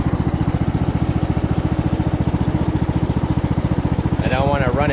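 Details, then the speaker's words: 2014 Ariens 42-inch riding mower driving forward, with a stator to be replaced (about 14 V at idle) and no brakes or reverse yet. A steady single-cylinder thump with no squeal or chirp from the drive belt; drives well, normally. "good grief does Drive well though there no noise on the drive"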